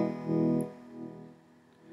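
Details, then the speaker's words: Squier Telecaster playing cleanly after deoxidizer was sprayed into the crackling volume and tone pots; notes ring and fade smoothly with no crackle, sounding smooth and not harsh as before; normal guitar signal after repair. "straight away that's sounding smooth not as harsh as before at all"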